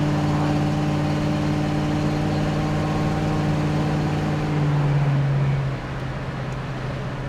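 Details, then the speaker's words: 1965 Ford Mustang Coupe V8 on road test, temperature just under halfway, accelerating to about 50 mph; steady even drone, no knocks, misses, tire, engine or transmission vibrations; tracks straight. "nice tight steering car tracks nice and straight real nice smooth ride no tire vibrations or engine or transmission vibrations good"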